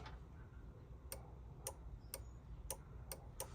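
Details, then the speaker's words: Opel Corsa D horn circuit test with steering-wheel airbag removed: six sharp, uneven relay clicks over low hum and no horn tone; the relay and a test lamp work but the horns themselves are dead. "і Нажимаю і воно все спрацьовує релюшка працює це в нас не працюють сигнали"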